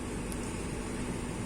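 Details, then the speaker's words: Renault Scénic II phase II heater blower after reassembly, fault traced to the blower resistor/control module rather than the fan: steady, even air rush with a smooth low hum, no rattles or scraping. Blower running normally. "on va essayer la ventilation qui marchait plus, donc magie. Ah, ça c'est bon ça. Ah, on l'entend bien. Eh ouais, ça c'est très bon. Voilà, ça marche."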